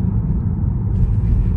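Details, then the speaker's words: Tesla Model 3 Performance electric car driving, heard from the cabin: deep, steady low rumble of tyres rolling on the road with no motor note; the tyre noise clearly carries into the cabin. "może teraz pomyślicie że jestem wybredny ale wyraźnie słyszę toczące się opony także wyraźnie ten dźwięk toczących się opon przedostaje się do samochodu"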